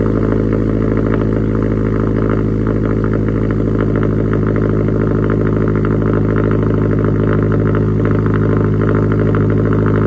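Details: Subaru STI cold start after sitting two months, cold weather: smooth steady cold idle with even beat, no ticks, knocks or stumbles; normal cold idle.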